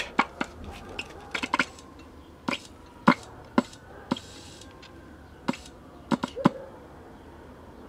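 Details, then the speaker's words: 1962 Sears Silvertone tube portable TV powered through a current-limiting bulb: sharp irregular snaps and crackles over a quiet hum as a gassy tube with a blue glow arcs internally. "can hear it arcing inside that's cool if it burns my meter up it's not cool but that's why i'm current limiting with this bulb"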